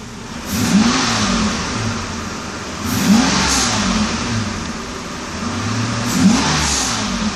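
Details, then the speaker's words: 1992 Mercedes 600 V12, early production, with both throttle bodies repaired, not in limp mode, air pump audible; revs cleanly in three quick blips and drops straight back to idle; crisp, normal throttle response. "actually while at it let me just show you the gas response when the car is not in limp mode so right now idle speed very nice gas response"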